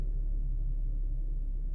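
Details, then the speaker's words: Infiniti QX70 at 123,000 km (77,000 mi) that shook and misfired from tight valves, heard after a valve adjustment; timing chain only slightly stretched. A quiet, low, even hum with no ticking or stumble; normal smooth idle. "Машина працює рівненько. ВВ теж відрегулювали, чуєте? Двигун шепче"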